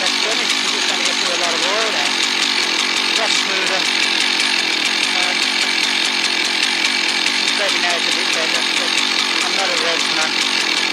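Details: Husqvarna 1100 chainsaw, previously stalling when throttled (air leak suspected), holds a steady high buzz while cutting after being sorted, no stumbling or dying, music behind; running healthy under load.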